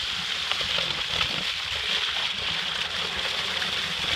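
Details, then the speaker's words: Septic pump truck with remote-controlled vacuum pump, about 100 feet of hose from the truck at a cesspool, pump put in neutral to back flush: continuous rushing, hissing water flow with a few sloshes and no sputter or surging, flowing freely. "So it's coming back. And I'm gonna put it on vacuum and see how that works."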